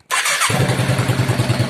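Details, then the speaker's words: Yamaha motorcycle with the key-programming problem bypassed by wiring direct to the cut ignition-barrel connector, started manually without the barrel fitted: brief hiss, then a clean catch and a steady, even idle. Normal start and idle. "if there is enough petrol to start the motorbike it will start now"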